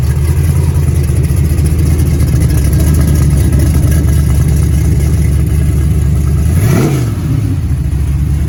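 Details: Rebuilt 6.0 LS V8 on a run stand, fed from a 5-gallon bucket fuel cell with a Silverado pump, fired right up after the new AC Delco crank sensor was swapped for the original GM one; steady even idle with one clean rev blip, healthy start.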